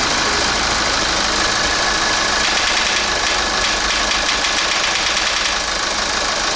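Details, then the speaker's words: Kia Grand Carnival R diesel engine at idle before repair: a rapid, intermittent clacking tick over the diesel clatter, traced to a heavily carbon-clogged intake manifold swirl valve; a stuck valve or stripped motor gear is also suspected. "뭐 소리 났죠? 딱딱딱딱딱딱딱딱 하죠? 이 소리가 납니다."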